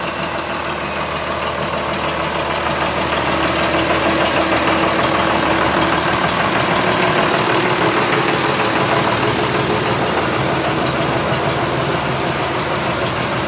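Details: John Deere 6600 DT tractor with cab, after engine repair: steady, even diesel clatter at idle holding a constant pace with no misses or knocks; normal idle, engine sounds healthy.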